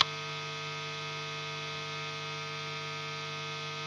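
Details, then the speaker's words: Guitar amplifier setup: steady low mains hum with faint hiss, no playing, appearing when the guitar is switched on and louder when turned up. "It appears on its own when I turn on the guitar."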